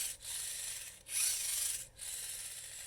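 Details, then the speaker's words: VEX Robotics 393 motor geared for turbo, turned by hand; dry, raspy, snoring-like rubbing in surges with clicking indexing, as the output gear scrapes the case from a missing output-gear bushing. "i want you to just listen to this motor as it turns it almost sounds like it's snoring it's making so much excessive noise"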